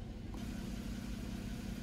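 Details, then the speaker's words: 2011 Chevy Equinox, EGR valve returned from commanded-open to normal (closed at idle): low, steady idle with an even beat, the shaking and harsh idle gone. Normal idle restored. "now we're going to return the egr to normal operating condition at idle which is off and now we're going to see how the idle jumps back and all the shaking and harsh idle is gone"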